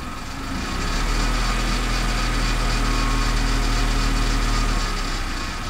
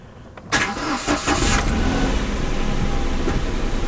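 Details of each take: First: Kia Picanto three-cylinder petrol, about 9,000 miles, noise appeared suddenly after being parked, before repair: fast, light metallic chatter over a lumpy idle, steady with engine speed; owner believes it is the timing chain rattling. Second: Kia Picanto after dealer fixed engine rattle, cold start after sitting a night and most of a day, battery slightly low: quick crank, fires at once, settles into a quiet, even idle with no chain rattle; healthy.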